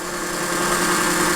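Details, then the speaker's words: LGB G-scale model train locomotive motor/gearbox, flipped over and powered by alligator clips at 21.5 volts with no load: fast steady whir with even buzzing hum, no knocks or rubbing; healthy free-spinning motor. "don't have a tachometer on me, but man, that thing's cranking fast."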